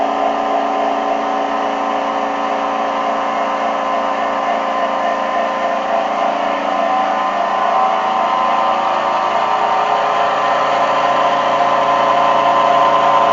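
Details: NordicTrack C2300 treadmill after replacing the rattling front roller and adjusting the belt: steady, even motor whir rising slightly as the belt speeds up, no rattle or knock; running normally after repair.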